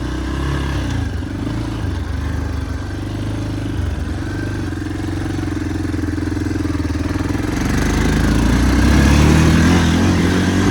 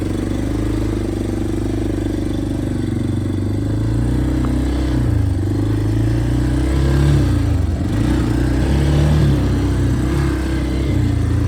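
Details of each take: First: Yamaha Big Bear 350 ATV on a test ride after replacing a trashed carburetor intake boot: steady single-cylinder beat that picks up cleanly with throttle, smooth, no misses; runs healthy and powerful. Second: Yamaha Big Bear 350 ATV on its first ride after revival, air filter already ruled out as the restriction: revs wander and bog, the beat hunting up and down instead of picking up cleanly; intake air leak.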